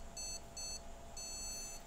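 Short high beeps repeating about twice a second over a faint fan hum; the board isn't detecting memory, here from corroded RAM slots.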